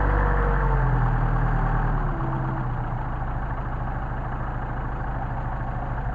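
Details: 190SL with Solex carbs, cold start on choke after sitting about a week, ambient about 65°F: fast idle settles lower after two seconds into a steady, even beat with no misses. A healthy cold-start idle.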